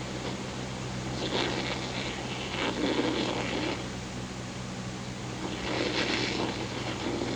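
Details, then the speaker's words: Accutrak VPE-GN Pro ultrasonic leak detector feeding a speaker shows a refrigerant leak on an HVAC system, low side at about 71 psig. A steady rushing hiss swells into stronger bursts over the constant hum of a fan simulating wind. "We're going to go ahead and turn it on. So there's our leak."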